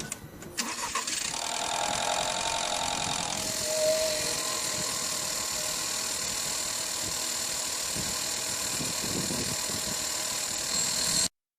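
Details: VW 1.4 TSI petrol engine on cold start: cranks and catches, then busy fast metallic clatter from the timing chain, which stretches as the tensioner weakens and guide rails wear.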